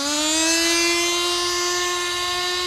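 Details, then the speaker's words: Turbo nitro RC car after leaning the fuel: screaming engine climbs and holds high with no shift into second gear. Owner suspects a burnt-out two-speed transmission or clutch. "oh that seems faster yeah that is faster still not shifting so we for sure burnt out the transmission or the clutch or whatever I don't know how these things work"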